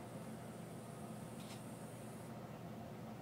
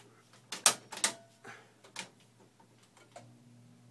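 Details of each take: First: Central Environmental Systems electric air handler, 3-ton, with Rheem heat pump wired cooling-only, started at the breaker: soft steady blower hum with a brief screechy whistle at startup that drops away; runs quietly and normally. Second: Central Environmental Systems electric furnace air handler with a 3-ton Rheem heat pump wired for cooling only: relay clicks, then a faint rising screech as the blower spins up before settling into a quiet, steady fan hum.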